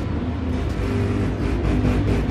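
Woofer puts out a clean, deep bass thump when the input is touched, with no hum left behind, so the sub channel works.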